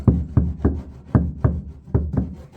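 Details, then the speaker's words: 1985 Chevrolet K10 cab floor after butyl and foam sound deadening, dull knuckle taps about three per second dying quickly with no ring; solid panel, resonance mostly gone. "So, that should take care of the drop factor that we need. But, sounding pretty good. It's sounding pretty solid"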